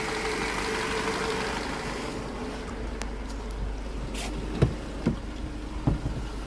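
Quiet, even low idle hum with no rattle at start-up, just a few faint stray clicks; engine sounds healthy and smooth.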